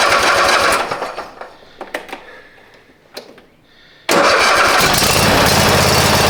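Engine dies away, a few clicks, then catches instantly and settles into a steady, even idle; starting and running fine.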